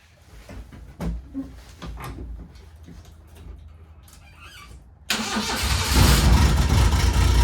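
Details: 1993 Suzuki Carry mini truck, cold start with the straight muffler before the exhaust replacement: the starter cranks, then a loud, raspy, unmuffled exhaust at a fast high idle, which the owner blames on cold weather.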